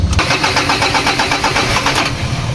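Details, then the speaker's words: 2013 Ford Ranger 2.2 manual with hard morning starts: long cranking with steady rapid turnover and no catch, firing on the second try. "ah halata na hard starting talaga"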